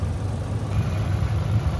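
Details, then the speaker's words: Mitsubishi Lancer 4G92 GLXi at idle: low lumpy uneven idle with level dipping and some smoke; misfire, distributor timing found over-advanced, also weak fuel delivery and two bad injectors. "ito isue niyan Mga p palyado yung sasakyan ni bossing Ayan so ito pakingan niyo yung andar ng makina niya mga"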